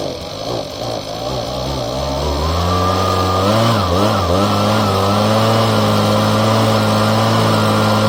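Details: Husqvarna small two-stroke after fuel line replacement and reassembly, fresh gas: picks up from a rough start and settles into a steady, even high buzz; clean, healthy running.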